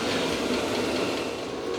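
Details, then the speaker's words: Newly installed diesel heater heating a workshop after fuel was pushed through long lines, exhaust already warm: steady, even blower roar over a soft combustion rumble with the fuel pump ticking, no sputtering or surging; normal running. "all right so this thing it is making a little bit of noise and honestly I was expecting that after all it does have to move some air so there's going to be quite a lot of blower noise and also you can hear that little fuel pump ticking away but honestly it's not that bad"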